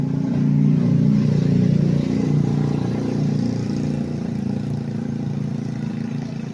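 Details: Vehicle that would not start because rats chewed the fuel injector, camshaft and crankshaft sensor connectors, after the wiring was repaired: a steady low engine note with an even beat of about 3.5 pulses per second. Runs smoothly with no misfire or knock.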